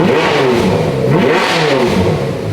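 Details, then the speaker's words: Rebuilt ex-rental Ferrari F430 V8 with no exhaust, foot on brake, car no longer in gear: unmuffled revs climb and drop cleanly and quickly with no stumble or misfire; revs much better than before. "Is it spinning? My foot's on the brake. No. It revs a lot better."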